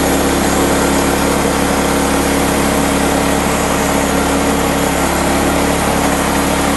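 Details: Woodland Mills HM126 portable band sawmill, 9.5 hp Kohler engine, centrifugal clutch engaged, water drip on blade: loud steady engine drone with even hum, no knocks or surging while cutting; normal operation.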